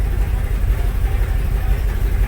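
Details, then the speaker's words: 1996 Jeep Grand Cherokee 5.2 V8 fully warmed up, with IAC valve and crank sensor replaced and catalytic converter removed: low, lumpy idle sagging and surging near stalling, worse on throttle, usually dies once hot. "trying to hold some throttle steady it's when you light up the throttle where it really hates it i'm surprised it's recovering usually just dies anymore when you get when you get the temperature that's the real problem right there"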